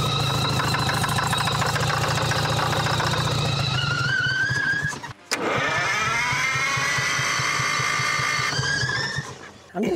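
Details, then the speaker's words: Champion motor grader with a Detroit diesel that sat locked up for 7 years, now freed, just after first start: fires and keeps running on its own with a rough, steady beat of about three to four a second; turns freely now. "it ain't stuck no more it ain't stuck no more sorry started"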